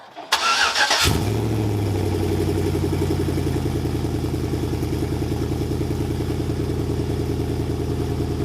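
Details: GMT900 Chevy Silverado V8 with long-tube headers, Y-pipe and added resonator, after the exhaust hangers were refitted: short crank, then a deep, loud, slightly lumpy idle with no rattle or leak; still very loud but drones less.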